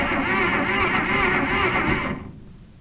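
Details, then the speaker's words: Barn-find flathead engine stored for decades, running after new points and 12 V condenser fitted and Marvel Mystery Oil in cylinders: even beat, no knocks before winding down; bottom end sounds healthy. "but it runs you believe that I get more time I want to know if the motor is good I don't hear any knocks"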